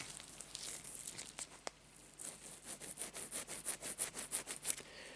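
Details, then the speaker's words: Salt-exposed Traxxas E-Revo RC car: a bearing with a light rust film, spun by hand, gives a rough gritty rasp about three times a second. Penetrating spray got in and rinsed the grease out, so the bearing runs dry. "Il est juste vraiment sec le roulement, on sent le... Ça c'est l'effet justement du dégrippant, les gars."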